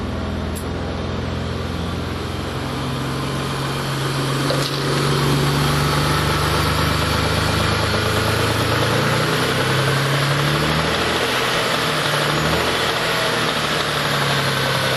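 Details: Mitsubishi 3000GT/Stealth twin-turbo V6 with spun No. 4 rod bearing, caught the day after it happened, last start before teardown and full rebuild: idle with a few revs, light regular rod knock tracking engine speed under exhaust drone.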